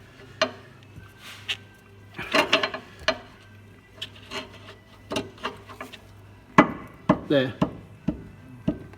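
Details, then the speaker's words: 2009 Smart Fortwo, driver's front lower ball joint levered with a bar between arm and hub: irregular dull clunks and knocks in bursts showing loose play; the ball joint is worn, other side fine; lower suspension arm replaced. "you can actually hear that that ball joint is knackered is playing it driver's Front Bottom ball joint the other side's okay I've already checked that"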